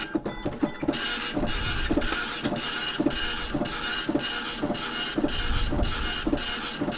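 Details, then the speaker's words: Apple ImageWriter dot-matrix printer self-test (form feed held at power-on): rapid even buzzing print-head passes with a light clack at each line change; mechanism works, print faint from worn ink ribbon. "for that beautiful dot matrix printing not printing very well because the the ink ribbon is pretty worn out but I know it now works"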